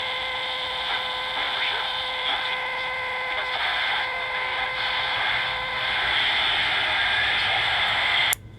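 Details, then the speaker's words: Vintage Aiwa AM/FM transistor radio working again after a broken transistor was found: a loud hiss with steady buzzy tones over the reception. The background noise persists even with the AVC capacitors bridged, and its cause is unknown. "it's just 14 days but hear that noise so I'm fighting that noise right"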